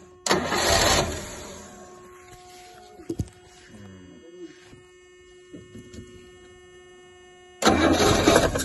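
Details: Rolls-Royce Silver Shadow after freeing the carb pistons, suspected of sticking. The engine fires with a burst then fades without picking up; owner suspects blocked bowl-to-jet passages, later found clear: engine will not rev.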